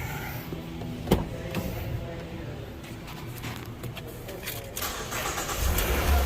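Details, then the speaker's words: 2009–2013 Ford Fusion/Milan/Escape/Explorer/Mariner after removing and cleaning throttle body: engine starts and settles into stable idle, no longer surging 750–1000 rpm or jerking; no code had set; normal idle. "as you can hear the idle stabilize now stop bouncing around and jerking around"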